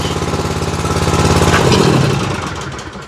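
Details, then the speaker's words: Exmark zero-turn mower with Kawasaki twin, hard to start and low on power: lumpy, loping chug about three and a half beats a second that slows and fades, running on one cylinder; bad spark plug, with a sticking choke. "the joke was sticking y'all hear it she's only running on one cylinder I know it's hard to hear"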